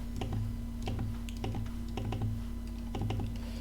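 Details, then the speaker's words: Mouse middle (scroll-wheel) button; crisp single clicks about two a second, sharp and consistent with none missing or mushy, a normal middle-button click. "I can press it here here and from the front to the back like this and it's always clickable and I always hear a click and I also feel the click on my finger"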